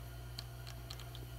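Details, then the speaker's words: A fret rocker held flat on a guitar neck with fret buzz makes a few sharp little ticks over quiet hum as it tips back and forth, showing one fret higher than its neighbours. "basically I got a bad fret because of that clicking noise."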